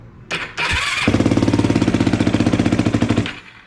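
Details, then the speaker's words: Yamaha YFZ450 single after top-end rebuild (water got inside engine), first start, fuel sprayed in: fires after a couple of tries, runs with regular even beat, no knocking, then winds down; sounds good, normal start. "Okay, that's not bad. That's not bad, guys. That's the first start. Sounds good."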